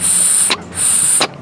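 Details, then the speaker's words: Buick Enclave purge solenoid, unpowered and plugged, blown through by mouth: two sharp hissing puffs as air passes straight through when it shouldn't; purge solenoid physically stuck open, causing P0496 EVAP flow during non-purge condition. "shouldn't be able to blow through it but you can"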